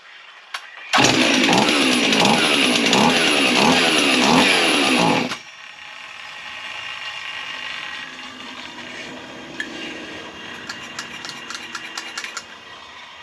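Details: Husqvarna 55 chainsaw, carb kit installed, fuel squirted into it; fires and races raggedly about four seconds then dies, start-but-stall; bubbles noticed and the fuel line not drawing fuel.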